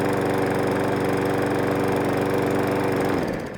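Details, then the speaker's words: Briggs & Stratton 500E lawnmower, previously hunting and surging, after a service and a new genuine air filter: steady, even single-cylinder putter with no hunting or surging before shutoff. It runs noticeably smoother than with the old filter. "I've already noticed a difference in the engine it is actually running a lot smoother with a genuine air"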